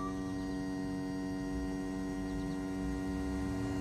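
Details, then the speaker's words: Volvo Penta SX-A power trim/tilt pump reinstalled after cleaning the motor instead of replacing it, run by key to trim down and up. Steady electric motor hum at even pitch, no grinding, straining or dropouts; drive moves down and up, working. "so if I go down all the way down it's moving down and it's moving up so basically it's working"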